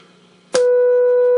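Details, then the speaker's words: Mid-1950s Eico 324 signal generator under restoration, B band, probe near AM radio, internal AM modulation switched on: after a click, a clean steady mid-pitched tone; internal modulation working. "Right now there's no modulation, so you just get the carrier, so you hear the whistling as you go past it. But when you're locked on, you don't hear anything. If I turn on the internal AM modulation, we should hear a tone."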